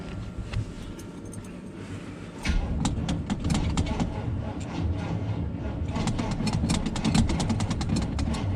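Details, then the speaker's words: 1976 GMC C15 Squarebody, long abandoned in a pasture, on its first start attempt: the starter turns the engine slowly and unevenly for several seconds without catching. Weak battery, slow cranking. "Pretty slow moving. Come on, girl. I mean, Bad Chad. Bad Chad's a boy. That ain't gonna work."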